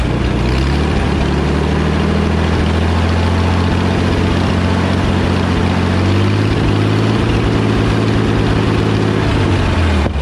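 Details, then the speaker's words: Wheel Horse Power Horse 4WD tractor with Ottawa loader: uneven, loping idle, pitch drifting up and down as governor hunts; fuel-pump issue suspected as the cause. "so here's the situation why it was being all lopy Nicholson thought it was super cool"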